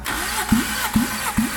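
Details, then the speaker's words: Toyota AE86 engine revived after years sitting, compression test while cranking: slow even cranking beats about twice a second, strokes strong and alike; a cylinder reads about 230 psi, within 210–240 spec, and cylinders three and four sound good; healthy compression. "yep beautiful all right so far three and four yeah sound like they're ready to party so these two are like yeah they're like they're good"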